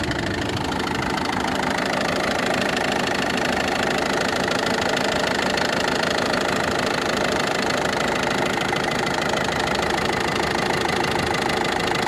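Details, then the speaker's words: Ford Focus 2 1.6 diesel at idle: crisp, regular tick about two or three per second over the clatter, heard from below then on top; source unconfirmed. "ну здесь отчётливо стока этот отчётливо цокает конкретно"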